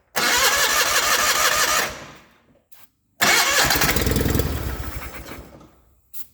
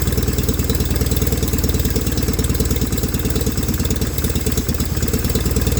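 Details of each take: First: 1989 John Deere 420 garden tractor: two bursts of fast cranking that briefly catch on starting fluid then fade; won't run on fuel, fuel pump later found bad. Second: 1989 John Deere 420 garden tractor running on its own fuel after an electric fuel pump was added; even steady thumping idle about three beats a second with no misses. Normal idle.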